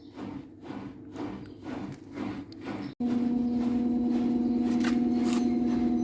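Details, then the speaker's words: Daewoo direct-drive inverter washer-dryer (9 kg/7 kg), spin-only cycle after replacing damaged stator Hall sensor: steady, even motor hum with no knocking, scraping or rumbling; the earlier abnormal noise is gone, normal spin. "now it's a seven minute remaining now know any abnormal noise like before now it's mostly running machine"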